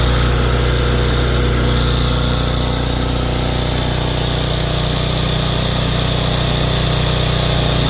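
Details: Simoniz 3000 psi pressure washer, Kohler 6.5 hp horizontal-shaft engine, after carburetor cleaning from stale stored fuel, bench test on choke: loud steady single-cylinder drone, no misses or surging; runs smooth and healthy.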